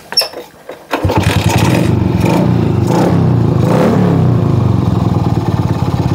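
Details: Shogun R110 motorcycle whose engine died when shifting into first gear, caused by a short circuit in the gear indicator light wiring; after the fix the single fires right up and holds a steady, even putter with light revs.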